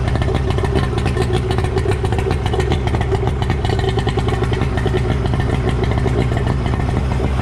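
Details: Suzuki DT65 two-stroke outboard after replacing fuel pump (found mounted upside down) and ignition key: steady, even drone without misses or hunting, constant speed; now runs smoothly.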